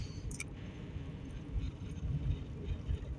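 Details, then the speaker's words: 2003 Toyota Corolla, 166,000 miles, test drive after new rear drum brake parts were installed to cure a creaking/thumping noise when braking: only soft road rumble while stopping at a stop sign, no creak or thump; quiet, normal braking. "We're going to break here on this stop sign here. Okay. Nice and quiet."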